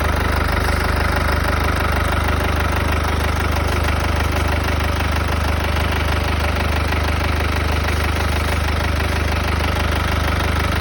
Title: W205 OM651. Strange noise from the front (COLD START) 220CDI #w205 #OM651 #mercedes #220CDI #CDI